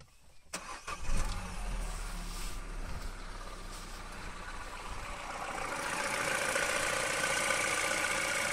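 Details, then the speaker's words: Citroen/Peugeot 1.6 VTi EP6 after a P0366 fix (faulty crankshaft sensor fouled by filings), timing chain changed: cranks, catches within a second, settles into steady even idle; running normally. "it's kind of a crappy engine and the timing chain was uh has been changed"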